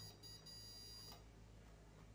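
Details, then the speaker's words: SWS UPS (no-break) several years old that sounds an alarm and flashes its LED when switched on, yet still passes power. Shrill electronic alarm tone with brief breaks over mains hum, exhausted batteries: UPS battery fault alarm. "o que tá acontecendo quando e eu ligo ele ele começa a soar o alarme e acender essa Luzinha olha só"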